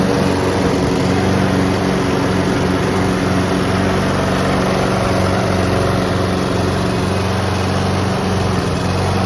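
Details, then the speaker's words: Honda and Mountfield petrol lawn mowers being run until out of fuel for winter storage: steady, even drone at constant speed with smooth firing beat, no knocks or misses; normal running. "They both sound absolutely amazing. I love both of these machines."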